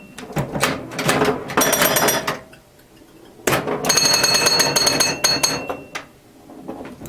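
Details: Restored 1977 Williams Hot Tip solid-state pinball machine during play: bursts of bright ringing chimes with quick solenoid clacks and score clicking, then pauses; a startup chime note seemed off-tune to the owner; normal gameplay.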